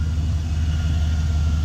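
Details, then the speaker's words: 2002 Chevy Silverado 2500 HD 6.0 L Vortec V8 after alternator replacement for bearing noise: smooth, steady low idle with no grinding or whine; normal. "That sounds really good. So I'm happy with that."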